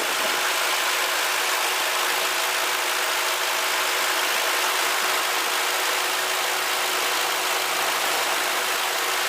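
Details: Ford Crown Victoria petrol engine idling evenly with a steady hiss and no belt squeal, after applying belt dressing spray to a squeaking serpentine belt, a short-term fix.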